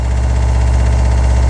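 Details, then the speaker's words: RV water pump under the bottom bunk beside the water heater, before replacement with a low-noise pump: loud low droning hum with steady throb, vibration felt through whole RV; loud pulsing water pump. "but it vibrates everything. It's got like a pulse to it."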